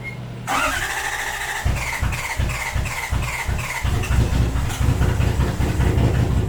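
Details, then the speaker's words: Toyota Cressida 1UZ V8, first start with a new coil pack; cranks then catches into a lumpy uneven idle with irregular low thumps and stumbles; new coil pack and igniter made no difference, dead cylinders all on one distributor cap and rotor. "interesting running the exact same all right it's a little bit of an update here wasn't the coil pack i didn't make a difference tried the igniter which is sitting over there didn't make a difference so it's all the cylinders on this cap and rotor"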